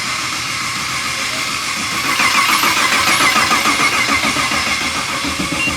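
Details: LS V8 swapped into a BMW E46, first start attempt after wiring: steady, rhythmic starter churn around three and a half beats a second that never catches; engine cranks but won't fire.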